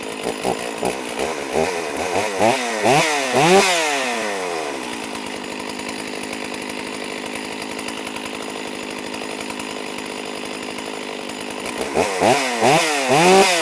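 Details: Stihl MS460 chainsaw after piston replacement, aftermarket muffler fitted: crisp throttle blips up and down, steady even idle, more clean revs, picks up and settles smoothly; normal running.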